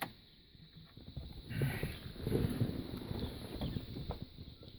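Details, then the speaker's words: MGB being got running after carburettor work, idle not yet set: uneven low churning of the starter turning the engine over for several seconds, never catching; cause unknown, a loose starter motor connection later found. Crank, no start. "hmm i think you may have a problem with starting"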